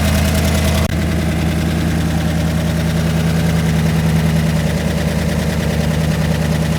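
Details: Rebuilt engine, first start after repairs with the cam sync not yet tightened: steady, even, smooth low idle thrum with no knocks or misses; it runs well, though the idle air-fuel reads about 11.1:1, rich on the driver's side.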